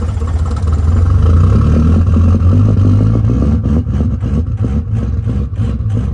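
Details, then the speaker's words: 1973 Ford F700 truck, old worn 6-liter diesel, cold and still on high idle while warming up: clatters at first, then settles to a steady idle pulsing about three times a second; rough but a normal cold idle. "Alright guys, while we're in here warming up, you can hear the old red truck out there chooching on high idle still. She's cold."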